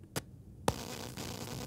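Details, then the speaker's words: Focusrite Scarlett Solo USB audio interface with one balanced monitor output leg grounded via a 3.5 mm jack adapter: a click, then a steady hiss and hum jump up, conducted-mode USB noise on the unbalanced output. "there you go so that's the tip get the same conductive mode noise we did before and if i ground the other side of the balance you get exactly the same thing"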